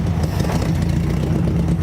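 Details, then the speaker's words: Abandoned air-cooled VW Beetle barn find, parked for decades, on its first start with a fresh battery: a steady, even chug with no knocking or misses, a little smoke, and it sounds good. "runs sounds pretty good that's good it a smoking it ain't nothing uh no it's it sounds good"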